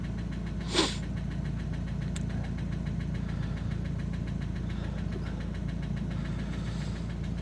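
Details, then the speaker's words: Opel Astra H Z17DTH diesel idling after a failed overhaul and injector replacement: sharp regular knock, roughly two to three per second, traced to cylinder 1 by cutting cylinders; engine to be replaced. "Я думаю чутно що стучить у нас двигун"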